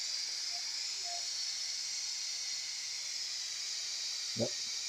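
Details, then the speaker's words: Noxxa electric pressure cooker after a six-minute high-pressure cycle for glutinous rice: steady smooth hiss of steam venting from the valve, easing slightly, normal pressure release before opening the lid. "it's only five minutes so let's it's going over here so before we open we need to make sure the pressure is released"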